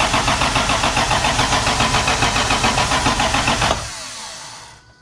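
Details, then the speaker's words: MK3 Supra (7M engine) after the Crispics igniter-ground mod: starter cranks evenly at about three and a half turns a second but never fires; suspected culprit not confirmed, later idled smoother. "so wasn't firing we we think this is the culprit"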